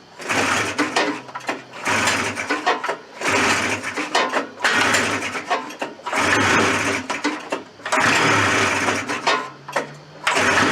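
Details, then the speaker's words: Suzuki Fury two-stroke snowmobile, long stored, with suspected ignition trouble, on fresh fuel with light choke: surges in uneven bursts, revving and dropping out every couple of seconds without settling; rough running, problem still there, cause unconfirmed. "h it's enough a robic for now so I think we've successfully determined that the problem still [Music] exist"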